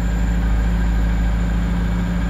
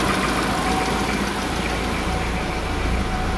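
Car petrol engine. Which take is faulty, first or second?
first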